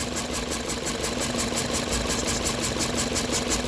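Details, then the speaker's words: 2007 Toyota Corolla CE four-cylinder idling with a rhythmic stumble from a cylinder 3 misfire. It shakes under load in reverse and drive. Swapping parts didn't change it, and unplugging cylinder 3's connector makes no difference. "that's the way it sounds um we so it's it's showing as a misfire in the cylinder 3"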